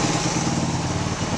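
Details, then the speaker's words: 1979 Honda XL125S after valve lash adjustment, with the intake valve found too tight and the idle speed adjusted: steady, even single-cylinder idle with a smooth low thump and no ticking or misses; runs less rich than before. "sounds good actually it's nice oh god let's get the door open doesn't run as rich as it was"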